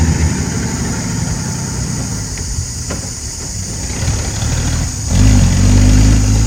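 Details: Ex-Australian Army International ACCO 6x6 truck with a Perkins 6354 six-cylinder diesel, just started after bleeding air from the fuel lines: settles into a steady, even low rumble, no knocks or misses; normal idle.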